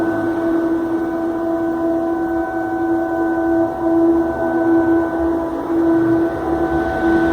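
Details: Steam venting hard from an over-opened valve on a company boiler on Avenida Marabá, Patos de Minas: a steady, far-carrying drone holding one pitch throughout; no damage, incident since corrected.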